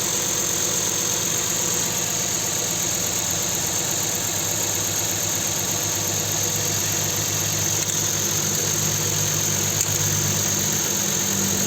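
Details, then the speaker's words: Nissan Sentra 1.8 engine after fixing a dead cylinder caused by an injector getting no injection pulses, traced to the engine computer: steady, even idle with no stumble; that cylinder now firing, normal idle. "Ahora sí se nota el cambio ya funciona ese cilindro"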